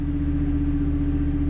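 Even, unwavering drone with a steady low hum and no knocks or surges; the standby generator is running smoothly.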